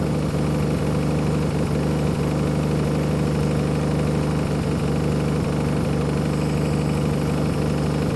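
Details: 1966 Plymouth Barracuda Formula S engine, revived after decades sitting, running after fuel pump wire refitted; slow, slightly loping deep idle, no knocks; idle a bit low, idle screw may need turning up slightly.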